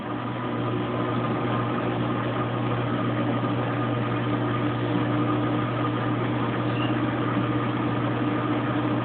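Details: Kenmore Oasis top-load washer after an OL-code repair: at 21 minutes left it reaches high spin with a steady low drone, no knocking or grinding, shaking the camera.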